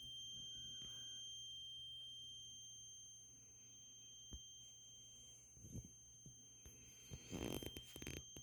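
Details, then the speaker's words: Toilet: constant high-pitched squeal at one steady pitch, no rhythm, stops when toilet is flushed; unexplained high-pitched squeal. "there is a high-pitched squealing noise coming from what we believe is the toilet"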